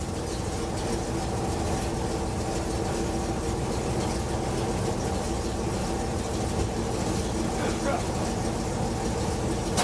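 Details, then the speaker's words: Carbureted truck that had stalled and wouldn't restart, idling on its own with accelerator untouched after mixture and idle screw adjustment; steady, even low idle that holds without hunting, surging or stumbling. "screws okay I'm not touching the accelerator and it seems to be holding"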